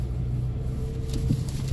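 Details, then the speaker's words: Mazda driven over bumps at about 12°C after zip-tying the loose front undertray (knocked by a snowbank): steady road rumble, no rattling from underneath; retest pending in colder weather, when the noise usually appears. "like no noise so we're gonna have to wait until he gets colder and try it again"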